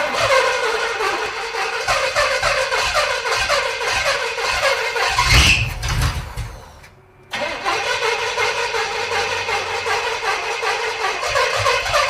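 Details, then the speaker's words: 1971 Pontiac T-37 V8 revived from a junkyard after 38 years stagnant. A lazy, uneven rumble sags and nearly dies before catching. It has only about 10 degrees of timing, and it runs good once advanced. Retarded ignition timing. "it's only got like 10 degrees of timing in it I will advance further try again"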